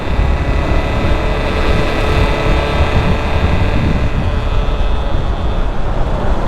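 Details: Bajaj Avenger at speed on the Hindon elevated road: steady heavy roar of wind buffeting with a faint whistle from the windscreen; the noise stops when braking and slowing down, and the rider is considering removing the windscreen.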